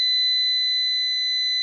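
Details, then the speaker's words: New PowMr 3.2 kVA / 3000 W inverter under diagnosis; it reports a battery error although the battery reads about 26 V. After a settings reset, a steady piercing alarm beep sounds continuously until the buzzer is switched off in settings. "Ну значить тоді вимкнемо цього пищика включить отключить примінить всесь примінилося не пищіть"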